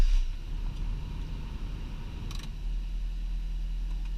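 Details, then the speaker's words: 2000 Honda Prelude, 108,500 miles, new Injen ram air intake, first start in three weeks: catches on the first turn and settles into a smooth, even idle with a low steady hum; normal cold start. "starts like it was never even turned off"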